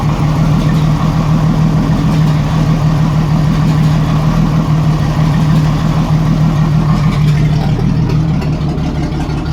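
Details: 1987 Jeep Cherokee Renix 4.0 six at idle: low uneven lumpy beat with occasional stumbles, a miss; later traced to a sticking valve or bad lifter, cylinder 6 exhaust rocker moving less; loosening its rocker bolt smoothed it.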